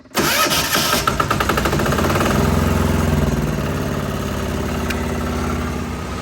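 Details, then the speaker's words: Start of a Chinese diesel fitted to a 1975 John Deere 300 modified for snow use, without holding the decompression lever: brief crank, catches within a second and settles to a steady idle; normal start. "So if I hold it and crank it and then I push it in, you'll see she'll fire right up."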